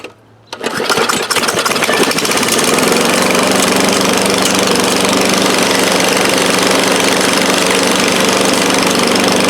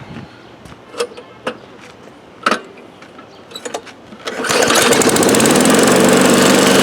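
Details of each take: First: 2013 Craftsman lawn mower, thrift-store find, primed and started: pulls over and catches, then settles into a harsh, loud, raspy bark with little muffling; loud exhaust from broken muffler, a piece of muffler to be removed. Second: 2013 Craftsman lawn mower, started after three primer pumps: some scattered knocks and clatter, then it settles into a steady, even buzz with no misses; the mower runs right.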